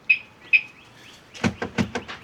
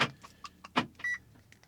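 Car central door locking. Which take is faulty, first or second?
second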